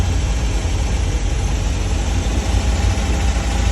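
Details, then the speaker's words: 1969 MGB, cold engine running only a few minutes: fast idle around 1100 rpm with loping, uneven beat under steady rumble; carbs and valves need adjusting, owner suspects a vacuum leak. "I really just want to hear it run carbs have really got to be adjusted it runs rough"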